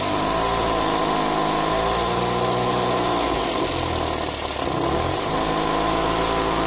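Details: Mazdaspeed Protege engine idling with a steady high whine and hiss over an uneven beat; cause of the weird noise unknown.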